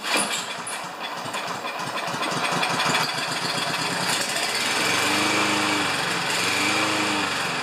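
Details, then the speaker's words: Self-propelled Lawn-Boy mower with Kohler engine, before repair, choke closed, kept running with fuel squirted in: rattles and revs unevenly, speed wandering; owner unsure if bad choke or dirty carburetor. "so I honestly don't know if it's a bad choke or if it's just a dirty carburetor that's causing this to uh pretend in such a misshapen fashion"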